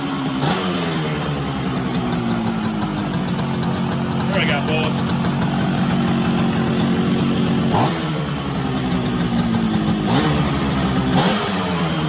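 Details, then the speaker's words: 1966 Bridgestone 175 two-stroke twin, sat 30+ years, after clearing the plugged left exhaust baffle of insulation with a coat hanger: crisp, steady burble with even beat, no misses or pops; runs much better; normal running. "cleaned that up and just use a piece of coat hanger you know it's knocked out a whole bunch of pink insulation and little pieces there so hopefully I don't knock it over runs so much better"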